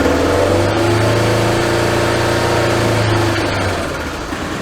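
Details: Vehicle test-fired after battery reconnect: engine held at steady raised speed with firm even drone, then drops smoothly toward idle; sounds healthy.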